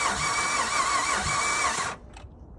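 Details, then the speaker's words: 2009 Dodge Avenger cranked with a jump box connected: starter whirs steadily for about two seconds and stops; the engine never fires, so it cranks but won't start. "All right, not going to start up, but she is trying to do something."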